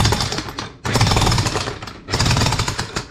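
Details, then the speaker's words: Hitachi jackhammer whose motor ran while it would not hammer because the piston was stuck in the barrel. The clip demonstrates proper full knocking in three strong, even bursts with short pauses. Normal hammering. "so that's how it is but they should be like this see that should be 100 knocking"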